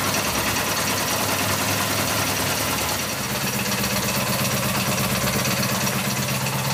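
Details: 1984 Honda VF750F on first start after a starter motor swap: loud, fast, uneven top-end clatter over a rough idle. Cause undetermined; owner suspects cams or badly maladjusted valves. Fuel leak noted; may be running very rich.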